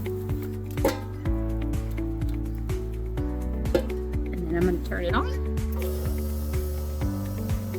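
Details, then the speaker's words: Bucket milker hooked to vacuum pump before going on the cow: sharp regular clicks about twice a second under music, showing enough vacuum; normal pulsator clicking. "on when you hear that clicking you know that there's enough vacuum pole that it can go on the cow"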